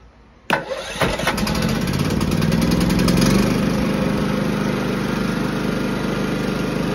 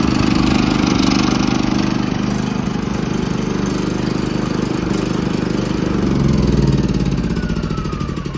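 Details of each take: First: Firman W3650iE inverter generator that previously ran only on choke, after cleaning a partially clogged emulsion tube in the carburetor; catches after a couple of pulls and runs steadily off choke with no hunting or surging; fixed. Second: Firman W3650iE inverter generator that starts and runs only on choke and dies when choke is removed; small engine runs unevenly with a wavering, hunting beat that sags and recovers, pointing to partly clogged carburetor jets.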